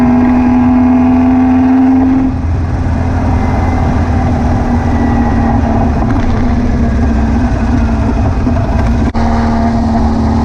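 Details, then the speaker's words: VW beach buggy with Prowler body, after new spark plugs, ignition leads and distributor arm: a lumpy, uneven idle with a stumbling beat and dropped pulses. Owner wondered about over-fuelling; the misfire was traced to a blocked idle jet in one carburettor. "as you can hear from it running it's misfiring still I think it now maybe over fueling I don't know"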